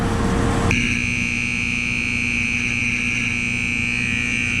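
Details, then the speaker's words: Corn grain dryer system alarm during harvest: loud steady high-pitched tone for about four seconds over low machinery rumble; it stopped and counted down, sometimes goes off by itself, equipment seems to run right, cause unknown. "I know that's loud, you guys. I'm gonna have to call Danny and see what's going on."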